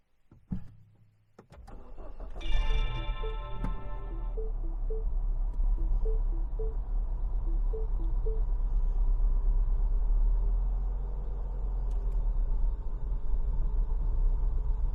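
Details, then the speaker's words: Used R56 Mini Cooper S just after a cold start, check-engine light on: it catches after a short crank, then idles low and unevenly, wavering; it stalls when the air conditioning adds load. A suspected part is not yet confirmed, despite a recent VANOS solenoid valve replacement. "非常にやばい状態です。エンストしました。エアコンとかねかけて負荷をかけるとねエンストしてしまいましたね。"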